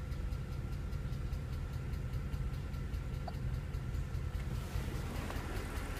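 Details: Mercedes E63 V8 at idle: fine, quick ticking, not quite even in rhythm, over a steady idle. A top-end tick of unknown origin.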